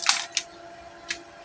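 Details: ROYAL mixer amplifier with no sound output, relay bypassed and fed directly: sharp dry clicks in a few quick bursts then a couple more as the relay pulls in and releases.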